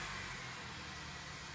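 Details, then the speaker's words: Older-generation Honda CR-V after fixing a rough, unstable idle and resetting the ECU by disconnecting the battery: steady, even idle with no stumble, revving cleanly to 4000 rpm, exhaust sound back to normal. "Sekarang kita lihat pada ruang engine. Di sana kita amati mesin sangat halus dan suara knalpot pun sudah normal kembali."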